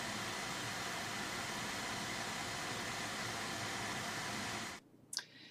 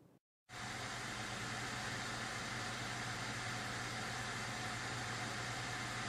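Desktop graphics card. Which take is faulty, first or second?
first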